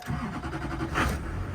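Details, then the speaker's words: Duramax 2500 diesel pickup with 224,000 miles: after the glow plugs cycle it cranks briefly and catches right away, settling into a steady, even clatter with no stumbling or misfire; it runs strong and healthy. "fire right up fires right up runs has all kinds of power runs like a champ"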